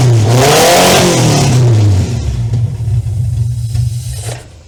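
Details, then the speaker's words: 2-liter van engine that had not run for about 18 years, first run after clamping the intake: it catches and revs, then settles into an uneven, lumpy, wavering idle; it needs much fine tuning, and the oil is old and low. "So I think there is a lot of fine tuning that needs to be done to this thing."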